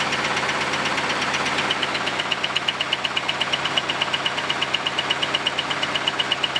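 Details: Camaro's first start after a quick exhaust weld repair, with a dead animal blown out of the exhaust: sharp, evenly spaced knock about three per second over a rough idle. A loud internal engine knock, cause unknown; the owner thinks the engine must be pulled.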